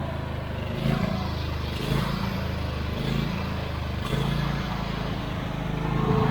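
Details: Husqvarna YTH24V48 riding mower, small twin, after a no-start repair and fuel pump check, on a yard test drive: the engine runs steadily with an even, unbroken beat that swells as the mower pulls away, with no misses or stumbling. Normal running.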